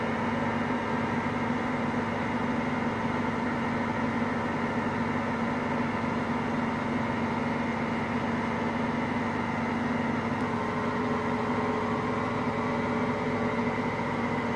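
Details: Hotpoint Aqualtis washing machine, drum bearings just started to fail today: steady low roar with a constant hum underneath, no clanks or surges; bearings beginning to fail.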